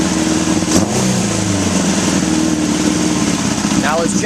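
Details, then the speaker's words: 1981 Honda CB750 K1 four-cylinder at idle: spraying around the carb intake boots makes the idle briefly rise, then settle. Any idle change means a vacuum leak, found at the carb boots and throttle shafts. "all right right off the bat I sprayed right here and you notice that it revved up any idle change whether it's lower or higher indicates a vacuum leak"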